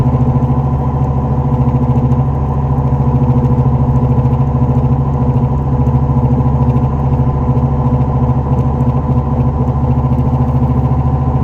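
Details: 2004 Dodge Neon SRT-4 driving: steady low drone at an even pitch, no knock or tick from the engine. Bad wheel bearing.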